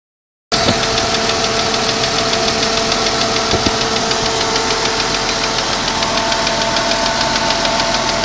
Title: Strange ticking noise 92 Jeep Cherokee